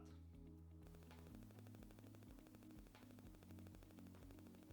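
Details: Rode VideoMic Pro on a camera: fast stuttering electronic buzz of rapid clicks over a low hum, radio-frequency interference clicking; described as normal for this microphone, not a faulty unit.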